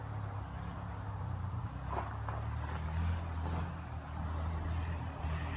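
Single-cylinder quad pulling steadily under load through the woods, a deep even drone with clean throttle changes and no misfire.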